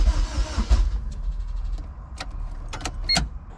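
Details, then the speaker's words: Rebuilt junkyard Honda K24A2 engine swapped into a CRX, cranking with injectors unplugged to prime oil before first start: about a second of even, steady starter cranking ending in a few clicks; cranking speed sounds healthy. "the motor sounds really good and uh i'm ready to i'm ready to fire this thing over"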